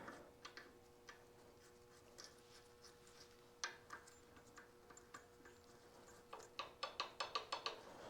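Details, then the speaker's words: 1929 John Deere GP, fan shaft and bearing just installed, gears rolled by hand: light uneven metallic ticks, a slight amount of gear backlash, considered acceptable. "still got that you can hear that slight ticking a little bit of backlash in there"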